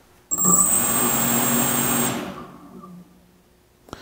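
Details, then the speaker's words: DRS250 quadcopter motors armed by holding the throttle stick right: thin high whine holds under two seconds, then winds down automatically because throttle is at zero; normal motor arming and auto shutoff. "what you see is the motors automatically turn off and the reason why it automatically turns off is because I have the throttle at the zero position"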